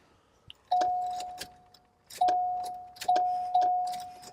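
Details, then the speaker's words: Flood-submerged Cadillac Allante, key turned: only clicks and a repeating chime, no cranking at all; starter suspected dead, brake light switch also known bad and needing replacement. "man I think it's a starter we know the brake light switch is bad that needs to be replaced"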